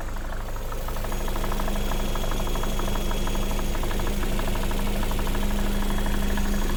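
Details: Lada Vesta SW Cross 1.8, built January 2019, 29,000 km, at idle: regular light tapping about three per second over the engine note; knock in engine of unknown origin.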